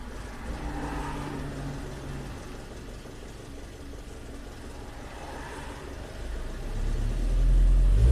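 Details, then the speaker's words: Chevy Captiva GM GDI engine after engine swap, fuel rail pressure maxing out (~2000 PSI, code P0089 rail pressure too high); VVT solenoid working yet rough uneven chatter over low unsteady idle; metal later found in oil filter. "The solenoid seems to be working great. The car is still not happy. You can hear that chatter."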